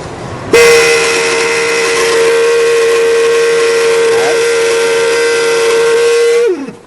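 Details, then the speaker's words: 2002 Buick Century blower motor under passenger-side dashboard: loud, steady high whistle starting when blower runs and stopping when off; customer suspected leaves or debris, but worn blower motor assembly needs replacement. "As you can hear, that's pretty noisy, so I'm going to show you how to replace the blower motor with a new one."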